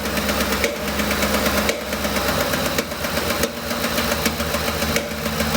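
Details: 2007 Ford Expedition 5.4L 3-valve, rough idle with no codes: heavy rhythmic pop back through the intake about once a second, heard at top of engine; collapsed roller follower and worn cam lobe.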